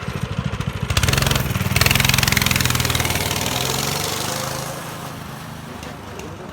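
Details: Baja minibike small single-cylinder engine after carb cleaning, fresh gas, choke on: catches, revs and settles into a steady even putter, no misses or odd noises, doesn't bog, clutch works; fuel issue still pending; normal running.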